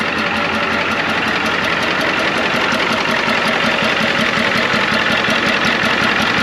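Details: 1993 Ford F-250 IDI diesel idling with even, regular clatter after a leaking return line was fixed; a slight miss was noted afterwards.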